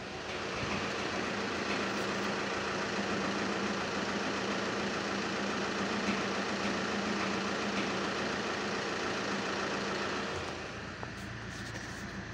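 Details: Engine running on a test drive, with a faint, fairly regular rattle at a few beats per second. The car accelerates decently with smooth torque before 2000 rpm; the rattle points to the dual-mass flywheel.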